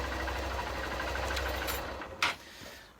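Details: Honda CBF125 (59 plate) after stator replacement, charging and front/rear lights restored: small single-cylinder engine ticking over evenly about two seconds before being switched off; normal idle.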